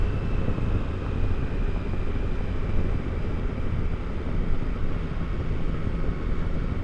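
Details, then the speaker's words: 2022 Triumph Tiger Sport 660 after the dealer loosened the overtight chain; steady ride past 40 mph with even wind and engine drone, no whine or rattle from the chain. Drive sounds healthy. "They have loosened the chain and it seems much better now. Alright, I made it past 40 without having that awful noise."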